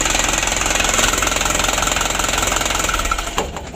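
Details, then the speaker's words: 2016 Hino Dutro 130 HD diesel, hard starting and unsteady idle, Bosch pump plunger adjustment bottomed out: hard even knocking three or four a second over rattly idle with smoke; engine badly worn. "Lor, untuk mesinnya udah ngapus ya, bisa dilihat lor. Ini asap nih lor, ngapusnya sudah lumayan parah."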